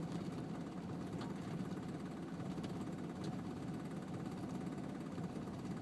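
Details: 2002 Volvo S60 on a cold start, idling in park with a faint rough clatter over the rumble and vibrations felt in the car. Knock or rattle of unknown source.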